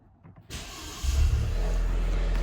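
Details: Crash-damaged Cat S Maserati rebuild, back from paint and on a good battery: quiet, then a short crank before the engine catches and settles into a steady, even idle; starts and runs normally.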